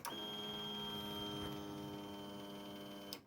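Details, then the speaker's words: Briggs & Stratton Vanguard 37 hp EFI big block that would not start or prime, after replacing a blown 20 A fuse under the top cover: even electric buzz for about three seconds at key-on, then cleanly off; fuel pump priming normally. "This 20 amp fuse was bad. Replaced that. Finally, I get the noise."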